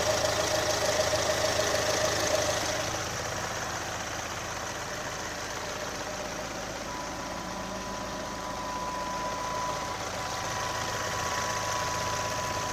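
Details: 2018 Chevrolet Onix LT 1.0, bought under 3 months ago, idling with quick regular light ticking about three per second; abnormal top-end noise, owner links it to GM's quiet intake valve and lock replacement, unconfirmed.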